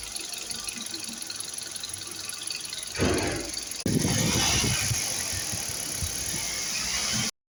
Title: i20 engine noise petrol